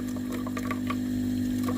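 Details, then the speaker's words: Philips GC9622/20 steam iron generator, boiler cap removed for test: steady low buzzing hum with faint rhythmic ticking as the water pump runs and water comes out at the boiler; normal pump operation. "ได้ยินเสียงปั๊มนะครับผมจะมีน้ำออกมานะครับที่ตัวหม้อต้มนะครับ"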